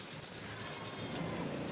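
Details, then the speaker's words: Polytron single-door refrigerator not cooling but light on, during diagnosis: soft, steady hiss growing louder at the evaporator, showing the compressor runs and refrigerant flows normally; evaporator end starting to feel cold. "Dan kalau sudah berjalan evaporator sudah bunyi ya teman-teman Nah di sini sudah terdengar ya suara mendesis"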